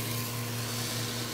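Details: Acrylic centrifugal pump trainer driven by electric motor, suction valve being closed as vacuum climbs past minus 16 inHg: steady hum with a rising gritty hiss building on top; early cavitation.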